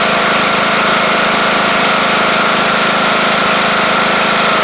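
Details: Craftsman LT1000 Briggs Intek mower after the replacement carb's jet was drilled out a thousandth: a smooth, constant hum at speed with no stumbling or hunting. It's running as it should.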